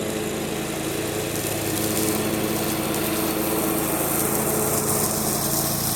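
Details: John Deere 345 with Kawasaki FD611V V-twin at about 490 hours, after revival repairs and a fuel filter change. Steady, even drone holding speed under mowing load with no misses or knocks; runs smooth and uses no oil.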